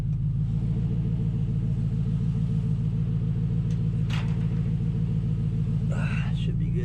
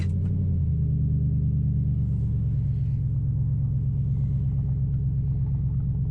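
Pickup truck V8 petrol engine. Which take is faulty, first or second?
first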